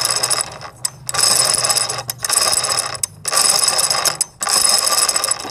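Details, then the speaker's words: Sewing machine, mic at shuttle: loud metallic clatter in roughly one-second bursts each time it runs; shuttle is dry and unoiled, fix is adding oil. "तो आपने सुनी यह जो आवाज है वह settle सूखा है इसलिए यह आवाज इतनी कर रहे हैं हम इसमें गरम तेल डाल दें तो इसकी आवाज चेंज हो जाएगी"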